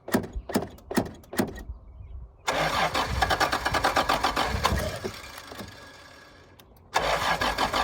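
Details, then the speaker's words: 1986 Toyota Supra, on ether: cranks in uneven pulses, catches and runs roughly a few seconds, then fades and dies; no fuel pump cycle heard at key-on, owner suspects bad fuel pump. "All right, she seems to start running pretty good. Well, not good, but I bet the fuel pump's out."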